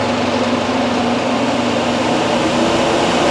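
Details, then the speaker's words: ProLine 1300 CFM inline range hood blower at high speed, after a vibration fix: steady, even airy whoosh with no wobble, throb or rattle; runs smooth and balanced. "it's really perfect it's very quiet um at high speed hopefully you can hear that in the video"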